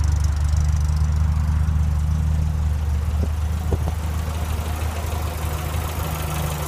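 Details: 1965 Morris Minor four-cylinder after owner rebuild (stripped engine, valves ground in, new gaskets, gearbox, clutch, mounts): even low chugging idle holding steady, apart from a couple of faint clicks; healthy.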